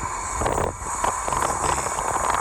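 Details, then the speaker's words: Vauxhall Corsa rolling with intermittent brakes squeal: thin high-pitched squeal comes and goes over road and engine noise, seemingly from the front; resolved by replacing pads and discs. "Guys, here we've got a Vauxhall Corsa with a problem with the brakes. Just keeps squealing."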